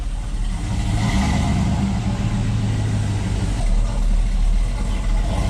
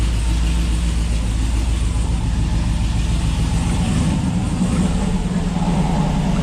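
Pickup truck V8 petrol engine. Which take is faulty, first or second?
first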